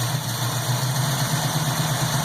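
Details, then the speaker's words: 1967 Pontiac Firebird V8 with warranty-replacement Holley carburettor, idle raised and air-fuel screws adjusted: smooth even idle, steady low burble, no misses or hunting; normal idle. "sounds pretty good there I like that"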